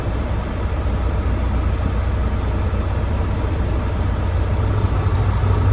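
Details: Volvo D13 heavy diesel at idle: deep uneven rumble whose beat keeps wavering instead of settling; rough idle, cause not evident.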